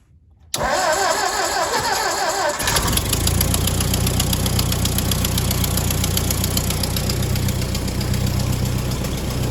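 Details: Ford 961 Powermaster tractor after ignition repair (points); it had previously been firing only one cylinder randomly. Started in neutral with a little throttle and a strong spark: a short crank, then it catches and settles into a steady, even idle with no stumble; normal start and idle.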